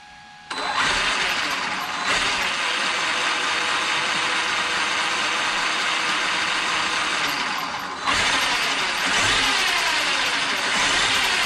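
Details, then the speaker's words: Traxxas X-Maxx RC truck after cush drive repair and steering servo upgrade, test run: strong, even motor whir pulling up smoothly with throttle, no stutter or chatter; running smooth, steering no longer glitching. "sounding like an x-max again nice and smooth"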